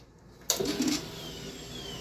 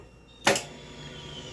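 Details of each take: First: 2005 Suzuki Boulevard C90, recently rebuilt top end, now won't start: click at key-on, soft steady whir for about three seconds, then click; normal fuel pump prime, everything coming on as it should. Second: 2005 Suzuki Boulevard C90, top end recently rebuilt, ran three or four days then wouldn't start; key on, neutral, clutch in, starter solenoid already replaced: one sharp click at the button, then silence with no cranking. Cause not yet found.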